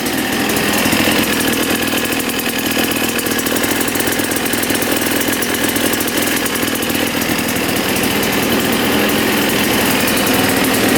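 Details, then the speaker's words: 1989 Yamaha YZ250 two-stroke dirt bike, bought as a non-runner, fires right up after cleaning. It has a very low idle and runs a little rich, so the air screw is turned out for more air. A quick, even crackle holds a steady idle without stumbling. "she fired right up sounds really good just to get this thing to idle a little better it's really low idle so I think we are going to twist the air screw out a little bit more allowing more air in"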